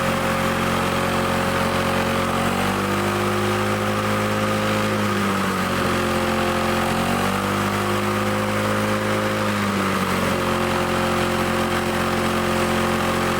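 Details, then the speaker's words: Old Lawn-Boy Loafer rider, front mower two-stroke, after needle-and-seat fix and mixture screw set about one and a half turns: steady buzz with only slight speed swells and no dying out; running fine, though the kill wire does not shut it off. "all right our kill wire isn't working I tried shutting it off with this and I don't know if it's just dirty corroded cuz I hook the kill wire back up but it runs we got running didn't need much"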